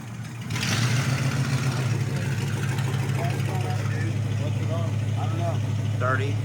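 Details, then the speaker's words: Replacement flathead V8, swapped in after the previous motor threw a rod on a reliability run, just fired up: deep, low idle stays even and steady under voices, with no knocking or miss; engine sounds healthy. "yeah it'd be fine awesome it sounds nice yes what do you think I'm happy with that"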